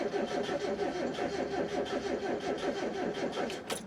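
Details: 1993 Mazda Miata manual: starter spins the engine steadily at about three compression beats a second but it never catches, even with jump cables. Fixed by replacing the fuel pump and fuel filter. Crank, no start from a failed fuel pump.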